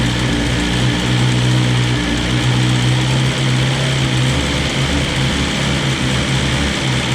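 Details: 2020 BMW S1000RR at its 600-mile first service, run for a few seconds after an oil change with 4 quarts to cycle oil: steady, even idle with a smooth low drone, no knocks or misses. Sounds healthy.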